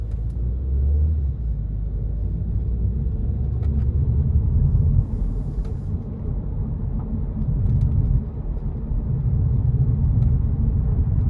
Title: Recently went in for roll bar bush replacement, comes out with humming sound. Not wheel bearings??